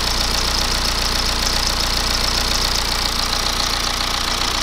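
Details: BMW E87 1 Series with N47D20 177 hp diesel at idle: busy rattling knock about three to four beats a second; customer suspects timing chain stretch, mechanic unsure it is the chains; crankshaft pulley found completely failed.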